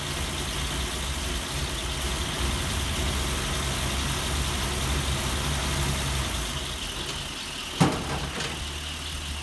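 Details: 1938 Chrysler inline engine at idle during test and tune: a slightly lumpy, uneven beat where a cylinder drops out, an engine miss not as smooth as wanted.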